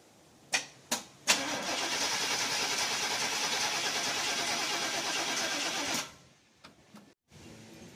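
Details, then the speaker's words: 1992 Chevy 4x4 pickup during a tune-up, coil wire still to change: starter cranks steadily about five seconds at an even chugging rhythm but never catches; crank, no start, cause unconfirmed. "I changed the cap and rotor because it wouldn't start for some reason."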